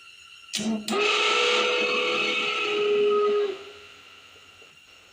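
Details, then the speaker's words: 1978 Camaro heater blower motor, AC deleted, wired direct to hot lead and ground after spraying lubricant: loud piercing screech under the dash for about three seconds then spinning down; owner suspects the motor needs replacing. "pretty awful I'm probably gonna have to just change that whole motor"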